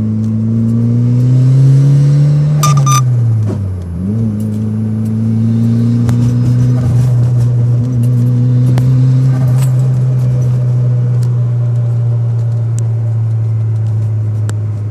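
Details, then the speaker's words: Engine idling high, suspected not getting boost (possible boost leak); revs climb then sharp metallic clicks as revs drop during a gear change after high rpm; cause suspected, not confirmed. "number three i can hear a funny click when i shift"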